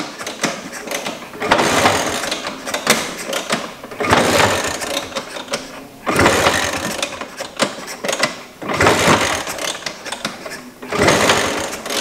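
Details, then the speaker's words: 1977 Vespa Super, owner unsure if there is fuel and tilts the scooter for the carburettor: repeated kick-start attempts give rattling ratchet bursts every couple of seconds, engine never catches. Cranks without starting, cause unconfirmed. "Tumben nih kagak mau nih."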